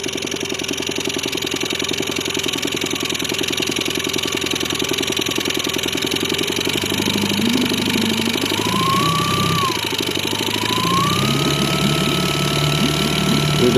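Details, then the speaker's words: New Haidi 15 362cc engine during break-in: after mid revs, a steady light tapping about three or four a second appears at low rpm when throttle is closed, fading as revs rise; cause undetermined; knocking at low rpm. "На обкатке после средних оборотов появился такой звук."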